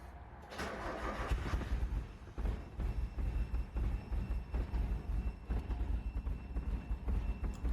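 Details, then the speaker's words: 1990 Mazda Miata that would not start after heavy rain, fuel pump relay bypassed by hard-wiring the pump to ignition power: brief crank, then a low, slightly uneven idle. Runs a little rough; this is a temporary fix. "I just wish the car ran a little better so just keep in mind this is considered a temporary fix to get you home or maybe a few other destinations"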